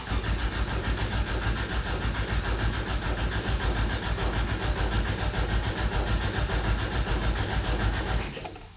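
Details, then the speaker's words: 1988 Toyota Pickup (Hilux), off the road about five years, new fuel line just fitted: steady starter cranking about eight seconds, never fires; crank-no-start, owner suspects no gas in tank and unsure fuel pump is running. "I don't think she got any gas. Listen carefully. We don't know if there's a fuel pump coming on."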